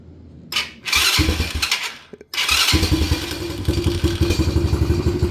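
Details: Single-cylinder quad revived with charged AGM battery: cranks, catches, then loose uneven idle with irregular pulses and smoke; carb needs cleaning, owner suspects possible worn rings.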